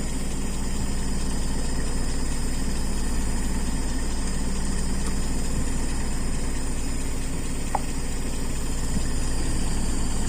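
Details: Carbureted car engine with idle mixture adjusted: a steady, even low idle with a smooth, unbroken beat and no misses; it pulls cleanly even without the accelerator pump shot.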